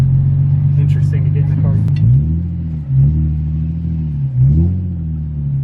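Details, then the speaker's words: 2003 Nissan 350Z with swapped low-mileage JDM VQ35DE, first drive after about 10 months: smooth, even low drone rising and settling cleanly through gear changes, no knocks or ticks; healthy. "but it sounds good sounds healthier more than ever it's a really low mileage engine"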